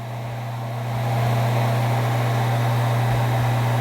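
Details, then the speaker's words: Centrifugal water pump motor with its starting capacitor: low steady hum that climbs to full strength within about a second, then holds smooth and even; capacitor gives the start impulse and the pump runs normally. "we are going to turn on and we are going to observe, observe how the pump started and observe the force that the pump has, that is, our starting capacitor gave it the necessary impulse much faster so that this pump can start"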